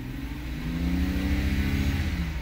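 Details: 2008 BMW with N52 engine after repair of the misfiring, shaking and rough idle; everything now reading fine. Revs up smoothly and drops back evenly with no stumble: normal revving.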